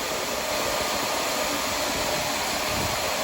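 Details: Shark Lift Away Deluxe vacuum, reassembled after its very dirty filter was cleaned to fix lost suction and a loud sustained shhh sound: a steady, even rushing whir with no rattles or choking; normal running.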